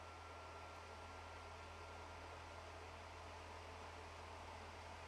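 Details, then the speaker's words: PS4 Pro overheating and struggling with cooling: constant loud airy roar with no rhythm or rattle, the fan running flat out, sounding like takeoff when starting a game. "Because while the PS4 Pro was never exactly a quiet console, it should not sound like it's preparing for takeoff every time you start a game."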